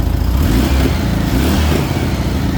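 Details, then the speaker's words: 1978 VW Super Beetle flat-four with L-Jet fuel injection, warm, during mixture-screw adjustment. Choppy barking in the exhaust at idle suggests it may be a little lean; after richening one turn it smoothed slightly but the barking remained. "you hear that barking in the exhaust. We may be a little bit mean. Um, so we're going to richen it up a little bit."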